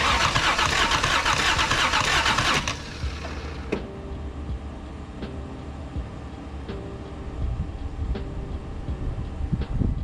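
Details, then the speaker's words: Toyota Cressida, 65,000 miles, 7M-GE with a blown head gasket, just fitted with a battery: the starter whirs steadily for a few seconds then drops off with scattered clicks, and the engine never fires; the fuel gauge does not read and the owner suspects bad or low gas. "All right, so we put a battery in, so we're gonna see what happens when I crank it. Fairly interested to see how this is gonna go. Nothing. Nothing happened."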